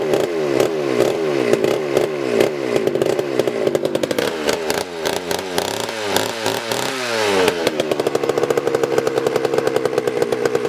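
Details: 1980s Homelite 330 two-stroke chainsaw, chain removed, carburetor tuned after repairs; the buzz rises and falls with throttle blips, then settles into a steady high rev, running cleanly and responding well.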